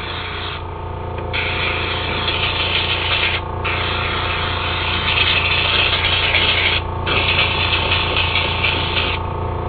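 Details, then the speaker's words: Temptu airbrush spraying makeup foundation; spray hiss keeps cutting out with a crackle between gaps, the gun sputtering because the paint cup has run empty. "can you hear that kind of hear that crackling noise that means it's running out because look it's empty"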